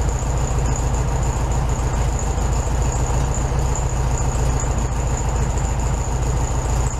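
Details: 1967 VW Beetle 1500cc air-cooled, warm idle after carburetor refitted with new base gasket (second repair attempt); steady, even putter, no stumble or hunting, sitting a touch fast; healthy idle, owner may turn it down after a drive.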